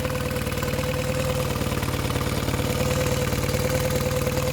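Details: Mercury 9.9 outboard, previously non-running, repaired after 8-9 weeks with parts from abroad and new plugs, test-run in a bucket: steady, even putter with a clear tone on top, no misses or knocks; runs clean, normal idle.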